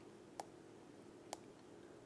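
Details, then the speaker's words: Bad Orbit B-Hyve sprinkler valve solenoid from an older valve. Three faint, soft clicks about a second apart, much weaker than the good one: a weak solenoid causing the station fault. Replacing it cleared the fault. "So, that solenoid clicking sound is a lot weaker than in the other one."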